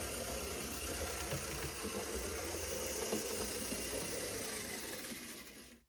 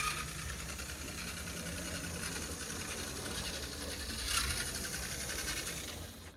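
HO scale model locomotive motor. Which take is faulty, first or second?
second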